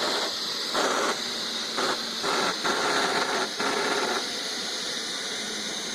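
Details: Neato robot vacuum after return from repair: harsh gritty grinding with high squealing edge, surging in bursts as it drives; something rubbing in drive or brush suspected, unconfirmed.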